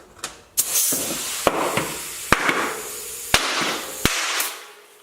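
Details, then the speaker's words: Tuff carbon XC mountain bike wheel, tubeless tire inflated with soapy beads and valve core left in: sharp irregular pops over rushing air hiss as beads seat onto rim. "Sweet. I think there's one more bead that's got to pop."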